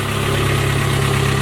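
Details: Spartan Warrior hydro jetter engine after replacing radiator hose with a 2-inch-shorter hose, running with water on before revving to about 2200 rpm: steady, even low hum, no knocks or misses; normal idle.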